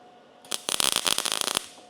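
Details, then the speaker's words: MIG welding 18-gauge sheet metal at about 17.5 volts: short bead crackles with sharp pops, still popping a little as voltage is slightly low; welder then raises it to 19. "Still popping a little bit. Going to increase my voltage a little bit more."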